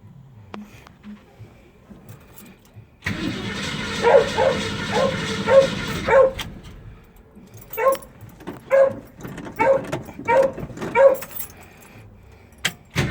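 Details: Mustang cranks for about three seconds, then several short cranking bursts, but never fires or catches; crank, no start, cause undiagnosed.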